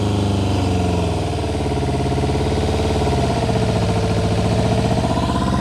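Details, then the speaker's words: 1999 Kawasaki ZRX1100 after 12 years sitting, carbs reinstalled, airbox deleted, full choke: choked, lumpy, uneven idle with a dropped pulse, running on three cylinders with one not firing. Engine misfire, one cylinder dead. "It's only hitting on 3 right now, but it is running."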